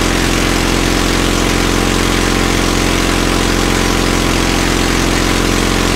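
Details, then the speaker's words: Caterpillar D2 crawler idling after first start following pinion repairs and rebuilt carburetor (new shaft seals) in starting system refurb: steady, even idle, regular low chug, no knocks or misses; runs like a champ. "idle's like a champ see how that vibrates"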